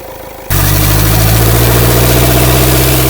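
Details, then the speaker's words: Overheated engine with a damaged cast-iron block and oil all over the turbo, revved: loud rough droning, whooshing roar from a failed turbocharger. "Y mo yung ano sa turbo ang daming langis oh. Pira turbo nito."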